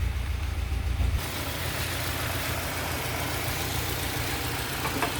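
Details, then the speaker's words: Peugeot 307 SW with antipollution fault, exhaust and engine-bay sound: slightly limping, irregular rough idle like a small misfire; MAP sensor already replaced without change, suspected vacuum leak or valve/combustion chamber leak, to be confirmed by top overhaul. "Nah, ini suara mesinnya juga enggak enak ya. Pincang gedeg gedeg gedeg gedeg gedeg gitu."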